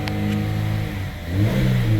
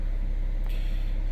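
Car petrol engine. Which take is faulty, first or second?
first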